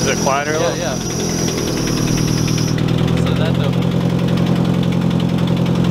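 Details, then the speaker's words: Truck with homemade welded exhaust at first startup: loose puffing tick in time with firing over rough idle; exhaust manifold bolts have backed out of the head at the far back cylinder, leaking. "I'm gonna have to order full exhaust anyway because the head or the exhaust manifold bolts have backed out of the head for the far back cylinder so it there's no back pressure there"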